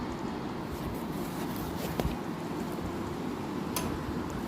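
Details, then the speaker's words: Microwave oven with panel open, cooling fan near capacitor and transformer: steady gritty grinding rumble at constant pitch; fan bearing grinding because its grease has dried out. "तो अभी हमने on किया था तो आवाज इसमें आई है। तो अब हम क्या करेंगे? इसको जो है खोल लेंगे। ये जो फैन लगा हुआ है कैपसिटर के साथ में ट्रांसफार्मर के पास में इसके फैन को खोल लेंगे। हमारी आवाज यहां से आ रही है।"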